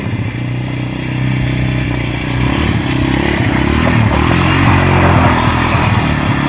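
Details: 1998 Yamaha Warrior ATV single-cylinder, started after replacing a loose, wrong spark plug with the correct NGK: steady thump rising smoothly with throttle while riding through the gears, even firing, no knocks or misses; normal running.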